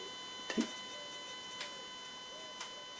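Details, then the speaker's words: Jaguar AJ30 V6 in a restomod, fuel injector test from tuning software on a slow toggle: faint sharp ticks about once a second in a quiet room, injector three clicking normally. "And we can do the same thing with let's say injector number three. Test with a slow toggle. Tick tock."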